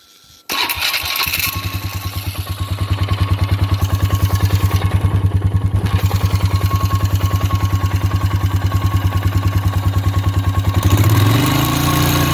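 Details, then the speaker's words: 2007 Polaris Sportsman after water pump replacement, warm after 15 minutes of running with the fan cycling twice: engine settles into a steady, even idle with no knocking or rattling. No leaks and no overheating; normal running. "i've ran it for about 15 minutes so far the fan cycled on twice see anything leaking it's not overheating so it must have done something right"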